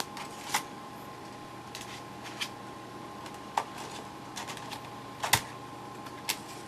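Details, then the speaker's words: Floppy drive on a Pentium 133 laptop loading Windows 95 from new-old-stock TDK 1.44 MB disks: irregular dry ticks and clatters over a faint hum as the drive keeps seeking and retrying; the disks seem dead out of the package, unconfirmed. "now there hasn't been any commentary until this point i'm sure you can hear all that noise just thought i'd point out that these are brand new new old stock tdk 1.44 mag floppies i think it's kind of sad that these are dead right out of the package"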